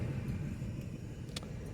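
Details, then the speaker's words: 2004 Toyota Echo engine shaking hard at idle, especially when put in gear, uneven stumbling beat; code P0301 cylinder 1 misfire, being diagnosed by swapping coils between cylinders 1 and 2 to see if code moves. "tiembla bastante especialmente al ponerlo en cambio tiene una tembladera bien fuerte"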